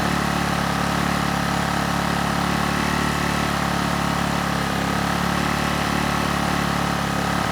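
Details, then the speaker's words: Honeywell HW2000i 2000-watt inverter generator, circa 2002, hard starter, under a 1500-watt load: steady, even hum at constant speed, no surging or hunting; hertz and voltage rock solid, runs well. "once it's running it runs very well it has no issues handling a 1500 watt load the Herz and the voltage are rock solid"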